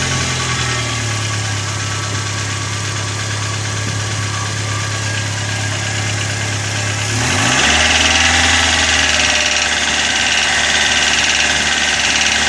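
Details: Chevrolet Corsa at idle: fast, light, steady ticking that holds its beat as revs change; hydraulic lifters slow to pump up, traced to a dirty oil pickup in the sump.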